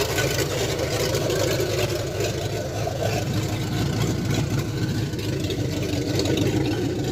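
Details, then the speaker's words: Ford F100 with a 302 V8 and Comp 268H cam after cam break-in: steady, even idle with a deep, lumpy exhaust note through open headers and no knocks or ticks. Normal idle. "Not that loud for open headers. Not that loud."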